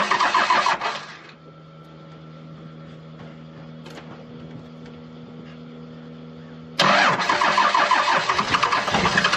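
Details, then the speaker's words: 12-valve Cummins diesel, 5-speed, hard starting in winter: long steady cranking drone with no catch, then bursts into a rough, loud run. Owner suspects injection pump or injectors; slow to fire on all six. "i think there's probably something wrong with the injection pump or injectors because it takes a while for this thing to fire on all six"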